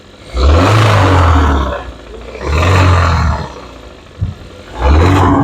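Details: Engine briefly revved: each rev brings a deep bottom-end rattle that fades back at idle. Connecting-rod knock, later confirmed by teardown.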